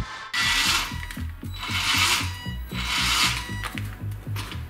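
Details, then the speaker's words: 1:16 4WD RC pickup, fully charged battery, full throttle with wheels lifted: high drive motor whine surges and cuts out about once a second under gear clatter; metal debris shorting the motor commutator. "полный газ и машинка начинает циклически отключаться Как видно это проявляется даже с вывешенными колесами то есть на холостом ходу чего быть не должно"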